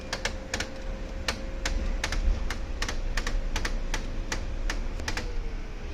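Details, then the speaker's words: Brother DCP-L2541DW printer at power-on. Sharp uneven clicks rattle over a faint steady motor hum: clicking gear noise at power-on. "इसमें क्या प्रॉब्लम आ रही है, जब भी हम इसको ऑन करते हैं तो देखिए इसमें नॉइज़ प्रॉब्लम आ"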